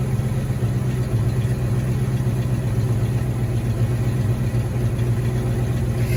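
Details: 1986 Mustang GT V8, original miles, sat a long time, just refueled with new cap and rotor, warming at idle: low, lumpy, stumbling idle instead of a smooth burble; misfire from arcing spark plug wires.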